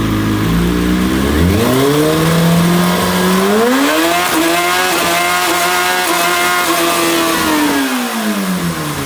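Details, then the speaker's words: 2005 Kawasaki ZX-6R four-cylinder after fixing a dead cylinder, not fully warmed up: crisp revs climb and fall evenly with no stumble or miss, all four cylinders firing cleanly. "Dat klonk nu eens als een echte Ninja De blijdschap om mijn ninja te horen is echt sky high"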